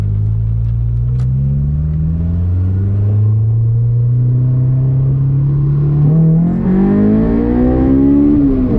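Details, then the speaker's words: Honda S2000 after fuel injector swap, full-throttle test: clean pull with the engine note rising smoothly and evenly, no stumble or misfire; the earlier sputter and idle hiccup seem gone, running healthy. "And as always, we always gotta test and make sure it's sounding good full throttle."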